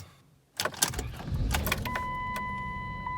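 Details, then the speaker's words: 2002 Chrysler Town and Country after power steering reservoir replacement and repeated ATF+4 refills: cranks, catches quickly, and holds a steady idle under a chime with no pump whine or rattle. Normal afterwards, including a drive around the block. "I drove around the block the whole way, and everything seemed to be working just how it should."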